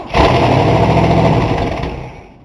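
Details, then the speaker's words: 1960 Cadillac first start after brake work and new ignition key, primed with a squirt of fuel: ragged roar under two seconds, then dies; starts then stalls, needs more priming for fuel, cause unconfirmed. "did you pull it back with your foot huh did you pull it back with your foot or did it just die all right try it again"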